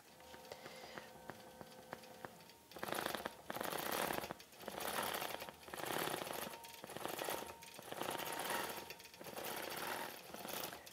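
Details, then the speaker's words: Statler longarm quilting machine stitching a cross stitch quilt border: rapid stitching bursts with sharp popping clicks in the needle chatter; popping suggests a dull needle despite starting with a new one. Cause suspected, not confirmed. "I don't know if you can hear that popping when it's stitching, but and I started with a new needle, but that indicates that the needle may be dull."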